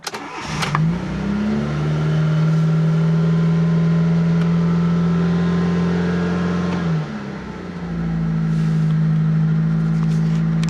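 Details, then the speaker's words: Fiat Panda 4x4 Sisley, cold start at about 13–14 °C: a brief crank, it fires almost at once on half choke and settles into a smooth, even idle, with revs slowly picking up as the engine warms. "that's not bad little tiny turn over like that and it fired up just that well that's on half choke at the [Music] moment as the engine warms up you can slowly hear the revs pick [Music] up"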